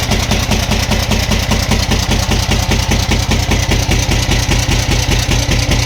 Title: camc engine knocking sound